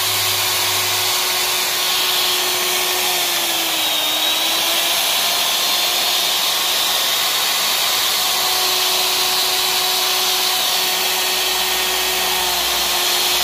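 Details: Hitachi router armature after commutator cleaning and reconditioning, test run; smooth, high, steady whine with a faint dip at about four seconds, even throughout with no crackle or roughness: motor runs healthy.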